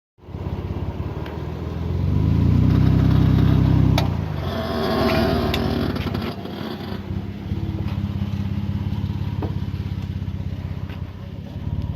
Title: Jeep JK 4WD clunk sound please help